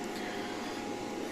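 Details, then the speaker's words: Daxtromn AGH-6.2kw-pro hybrid inverter with Longi 540W solar panels in series: cooling fan speeds up as load rises, steady airy rush and hum loud like a vacuum cleaner; quiet at low load; normal operation. "Nah, sebenarnya saat bekerja pada beban rendah, tidak terlihat sama sekali, tetapi saat matahari terlihat seperti ini , bebannya dari panel atau dari aki, misal kalau tidak ada lampu maka cukup berisik, kemudian berfungsi cukup terdengar, hampir seperti penyedot debu,"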